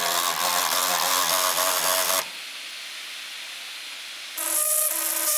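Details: MSI GP66 Leopard laptop (RTX 3070) right cooling fan grinding with a fast rattling pulse about four per second, cutting out and returning; suspected jamming defective fan or loose blades, not confirmed.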